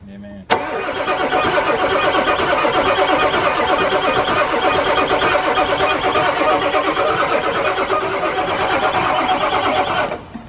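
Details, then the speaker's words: 1997 Ford F250 7.3 diesel project truck, long-sitting, on fresh batteries: steady, quick starter cranking about ten seconds with no firing or catch and no tailpipe smoke; engine turns over but won't start, needs heat in cylinders. "Yeah, it's a little bit rigged here, but definitely turns over quick. Gotta build some heat in them cylinders."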